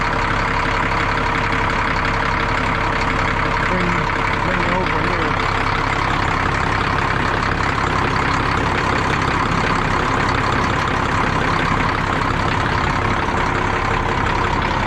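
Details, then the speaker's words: 1962 Peterbilt 351 with an old pre-cup Cat diesel, started after sitting about 3 months over winter, idles slow and steady with a loose clatter like marbles rolling, even and unfaltering; a healthy idle. "I can sit and listen to this thing idle all day. It sounds so good. I think this is by far my favorite kind of engine, these old pre-cup cats."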